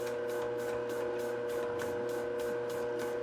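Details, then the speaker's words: Globe SP08 planetary mixer kneading a 3.5 lb batch of 53% hydration dough, under the manufacturer's limit, a couple of minutes into a 10-minute run. A steady motor hum carries a repeating creak about every third of a second. The mixer is creaking under load. "So we're a couple minutes in now, and I just turned the camera back on because I wanted to point out we're starting to hear kind of that creaking that I had talked about. Specifically, it tends to happen with lower hydration, heavier doughs or enriched doughs."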